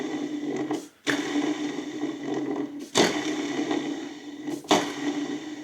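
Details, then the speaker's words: Volvo (S60/S80/V70/XC70/XC90) drive-belt tensioner idler pulley, removed and spun by hand: faint gritty whir that fades from a worn bearing; whole tensioner kit and belt being replaced. "Och eh jag tänkte jag skulle ni kanske hör att det är litet oljud i den här."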